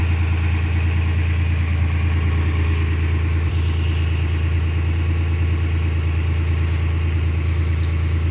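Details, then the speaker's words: 1995 Suzuki Escudo, H20A engine, cold idle: steady, low idle with an even pulse and no tapping or knocking; owner says the knock appears only once warm, not cold; normal cold idle. "то есть стучит сока при нагреве двигателя получается на холодную не стучит"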